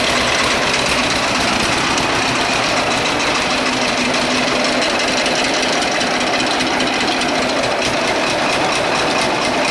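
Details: John Deere A two-cylinder tractor, started without a battery after flooding, idling slowly with a heavy metallic hammering knock on every beat over the exhaust; sounds like a worn bottom-end bearing, cause suspected, not confirmed; otherwise runs and idles well.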